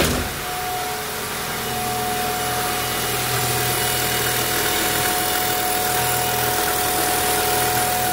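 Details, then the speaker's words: 2003 Honda Civic petrol engine idling, steady high-pitched whine over the running sound like radio-frequency interference, heard outside the car; mechanic suspects head gasket failure, timing belt also noisier when hot; cause not confirmed. "Vamos eu vou ligar aí para vocês ver o ruído do motor ó o barulho até parece que aquele barulho de frequência de rádio tem carro que o rádio tá ligado dá esse barulho Mas é aqui fora"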